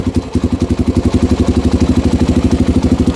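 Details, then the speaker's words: 1987 Honda 250X ATV after cam and rocker arm installation, cold weather: steady, even single-cylinder idle thump of about nine beats a second with light normal valve tick; the earlier chatter is gone. "she uh that's the way she's supposed to sound absolutely so really all I'm hearing is your normal Honda tech uh and that's just normal big difference from what it was all the chatter and everything"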